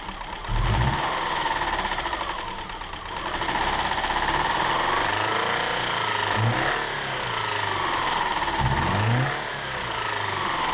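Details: 2007 Subaru Outback 2.5 SOHC flat-four, wrecked parts car with shattered cam pulley, test-fired after new timing belt: settles from a rough first start into even idle through a couple of blips, no miss or valve clatter; healthy, quieter the more it ran.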